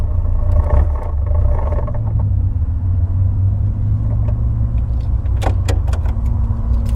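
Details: Engine running and revving with ragged, stumbling low rumble, beats dropping out irregularly; misfire, owner suspects a coolant temperature issue, not confirmed.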